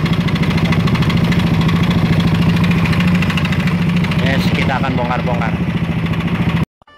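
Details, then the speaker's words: Yamaha NMAX scooter at idle, owner complaint of ticking noise: rough uneven tapping about three beats a second over a low hum; piston slap, worn piston and bore needing replacement. "Bye guys, ini bunyinya lumayan kasar ya. Kita pantau bersama-sama di manakah penyakitnya."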